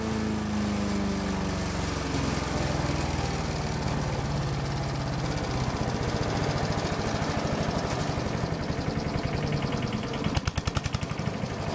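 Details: Troy-Bilt chipper shredder model 24A-414B711 small single-cylinder engine, test run after new carburetor fuel line fitting, oil change, new tires and oiled recoil: steady even beat, no misses or knocks, idles down smoothly; normal idle.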